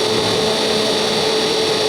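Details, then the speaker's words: Honda City electric radiator fan motor bench-tested on a car battery after repair (new carbon brushes): strong steady whir with constant hum and rush of air, no stalling or scraping; fan motor runs normally, previously running weak and causing high engine temperature. "ถ้าพัดลมแรงต้องได้ยินเสียงลมเป่าแรงๆเลยนะครับนี่นะครับพัดลมทำงานได้ตามปกตินะครับ"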